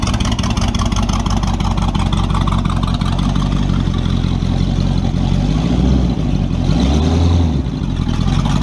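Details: Model A with a 350 small-block Chevy (hydraulic roller cam, 9:1), tunnel ram with two Edelbrock 600 cfm carbs jetted lean, in a driveway test: rumbles, then revs but flattens out at full throttle instead of pulling; owner unsure if rich or lean.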